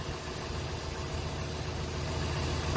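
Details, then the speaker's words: 1998 Ford 5.4 Triton 2-valve V8, near 200,000 miles, after replacing a bad coil (misfire with no codes): steady, even low rumble at warm idle with no stumble or skipped beats; runs smoothly. "there, but for a truck that's pretty close to 200,000 miles, especially for a 5.4 Triton, it runs pretty good."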